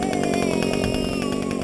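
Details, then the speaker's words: Echo SRM-225 string trimmer, new and being broken in, restarted while still warm without choke, idling cleanly with a high steady even two-stroke buzz; slight smoke, running a little rich, but works well, no issue. "You can see it runs up real nice. You can see there's a little bit of smoke running, it's a little richer, but it works good."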